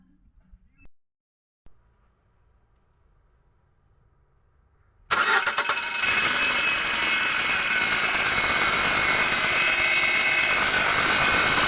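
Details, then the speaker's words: Lada Granta, 81,000 km, cold start: the engine starts and idles with a thin steady whistle and hum when the clutch is pressed. A worn INA clutch release bearing is suspected. "lada granta 81000 пробег пошел свист и гул на холодную при отжимании сцепления сейчас заведу покажу скажу"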